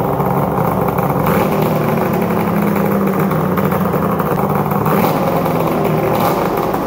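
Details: 1997 ZRT 600 triple two-stroke snowmobile after replacement bottom end (old crank bearings noisy, seals leaking), just restarted after sitting all summer: busy crackly burble at fairly steady speed with slight surge, even, no knocking; healthy.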